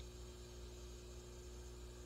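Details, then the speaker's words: Peavey VB-2 all-tube bass amp, volume at 10, through a Digitech BP200 buffer pedal: the buzz is gone, leaving only a quiet steady white-noise hiss with a faint low hum. "buzzing is gone now you're just hearing the white noise"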